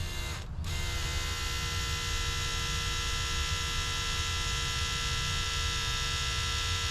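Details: Old fuel pump from a Honda Civic that sat about 10 years, wired directly to the battery with a hose into a bucket. A constant electric buzz with a bright whine stays level, so the pump runs, though nothing seems to come out.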